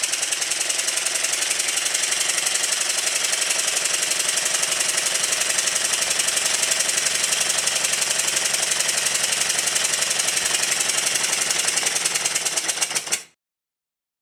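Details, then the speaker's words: Newly built Stuart triple expansion model steam engine during run-in, on a rubber mat: crisp, even clicking about four beats a second holding steady, then stopping; runs smoothly and evenly. "after running the engine for quite a while in both directions it's feeling a whole lot better because it's now running in or as you call it in the USA breaking in either way it's running a lot better"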